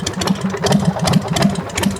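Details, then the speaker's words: 1990 Harley-Davidson Sportster Evolution V-twin at idle after rewiring, headlight hard-wired and switches relocated: rough idle with an extra uneven tapping over the beat; abnormal noise, source unknown. "so we're not complete fuckups hear that [Music] noise yeah shut it off"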